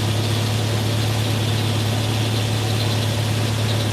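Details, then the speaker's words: Mercedes W123 (S123 estate) idling after first start in nearly three years; smooth, steady low rumble with even beat, no knocks, misses or hunting; normal idle. "look at that don't sound bad at all does it three years"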